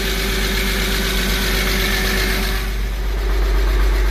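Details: Porsche 986 Boxster flat-six restarting after engine-out IMS bearing, starter, oil separator and intake gasket replacement with cleaned intake and valves: smooth, regular idle pulse about four beats a second, no knocks or misses; healthy idle, little exhaust smoke.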